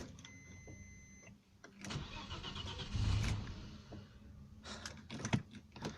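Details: Audi A6 C4, new fuel pump failed after two days: thin steady high whine alone for about a second before cranking, start attempt fails; noisy fuel pump.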